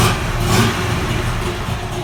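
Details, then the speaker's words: Buell XB12R V-twin after a full rebuild, about 100 miles since, with no check-engine or oil-pressure lights: steady, even idle with a smooth low thump and no knocks or ticks. The bike runs well, a normal idle. "so as you can see the bikes running amazing now"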